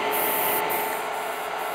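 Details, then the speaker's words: IBM DPS-2000BD power supply charging several battery chargers at about 60–70 A total: voltage fluctuates up and down with a steady airy hiss swelling and easing about every half second; silent and stable once load rises further. "ramps up it fluctuates up and down pretty much and you can also hear this hissing sound fluctuating and now we are at about this one says 55 this one will be a bit more than 10 so we are between 60 and 70 amps where you have this hissing sound"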